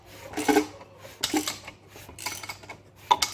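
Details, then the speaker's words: 1965 Chrysler Valiant AP6 six, sump off, crank turned slowly by hand: sharp metallic clinks about a second apart as a connecting rod passes the oil pickup; pickup looks struck, suspected knock source, not confirmed. "Hear that? Knock knock. So, pull this out. Now, I could be wrong. This may not be what the knocking noise is at all, but this looks pretty sus."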